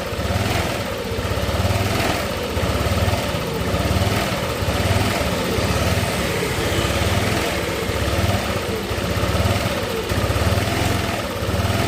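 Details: Yamaha Nmax scooter that came in with a rough engine noise, running after valve work. It gives an even, steady single-cylinder putter at idle with a regular pulse and no knocks or rattles. Normal, healthy idle.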